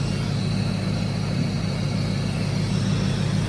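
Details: Ford Lightning SVT supercharged V8, cold idle after teardown work: a deep, steady rumble with intake suction audible, no grinding from the blower, and the intercooler pump flowing. Normal idle.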